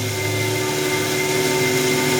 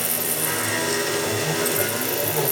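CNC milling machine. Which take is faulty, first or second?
first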